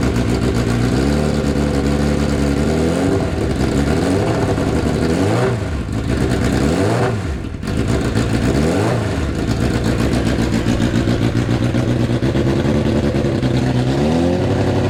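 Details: Neglected Hayabusa four-cylinder engine on a jerry-rigged setup after replacing a couple of injectors, injection light now out: fires up and revs cleanly several times, no misfire or clatter.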